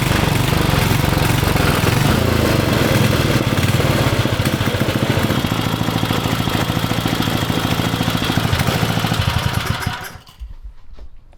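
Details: Vintage Briggs & Stratton generator engine for a 1970s mini chopper, bench-run before frame install to break in the crankshaft: runs smooth and even at a steady fast idle with no knocks or misses for ten seconds, then shuts down cleanly; normal.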